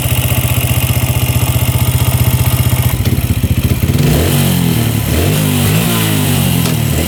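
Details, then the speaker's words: Yamaha Raptor single-cylinder quad after valve clearance check, with good compression and spark: low steady idle, even exhaust pulses, no smoke, no knocking, top end sounds good. "No smoke at all. That's good. Top end sounds good. No knocking. Idling perfectly. Nice and low."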